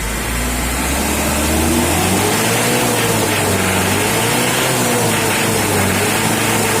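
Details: Mitsubishi L200 diesel after a tune-up: the engine revs up and settles with an even, steady clatter and no misses or knocks; running smooth.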